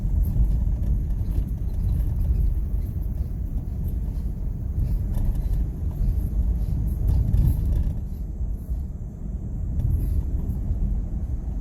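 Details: 2001 Ford F-150, runs, sold as a mechanic's special with a misfire; deep, uneven idle rumble with a stumbling beat that doesn't hold steady, a cylinder dropping out: engine misfire.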